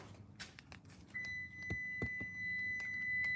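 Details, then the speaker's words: Toyota key fob lock pressed with a door open: steady high electronic warning tone that continues until unlock is pressed; normal door-open lock warning. "so if you if you if you press the lock button with like any doors open or something then this is the sound line it makes yeah it's very annoying so"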